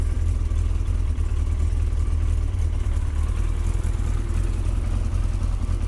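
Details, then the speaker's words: Yamaha XJ900S Diversion just started cold after the final fix, warming up: deep heavy idle with a lumpy uneven beat, sounding like it is trying to stall. "Sounds like it's trying to stall at the moment."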